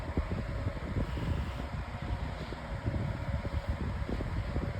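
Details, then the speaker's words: 2026 version of the Lasko 18-inch table fan on high speed with the improved blade. Smooth, low, steady whoosh of moving air, not very noisy, with no knock, rattle or whine; normal running. "Here's an idea of it. at high speed. It's actually moving a lot high now. It's also not all that noisy."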